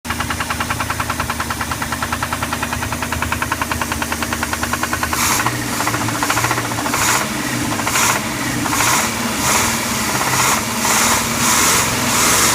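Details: 1990 Crusader 454 marine engine at idle then revved, sharp metallic knocking pulsing in bursts with each rev; rod knock from a worn rod bearing.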